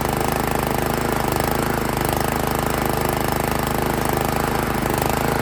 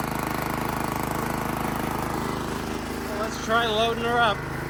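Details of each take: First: Honda GX160 on Italian Workman 2 Multimixer cement mixer, owned about 15 years, choke on, carb idle screw adjusted: uneven hunting beat three to four pulses a second, idles but falls on its face when revved; tight valve clearance. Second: Made-in-Italy Workman 2 Multimixer cement mixer, Honda GX160 single-cylinder, about 10 minutes after starting, awaiting a new carb, water in the drum as simulated load: steady, even beat with water splashing, running smoothly and strong; normal running.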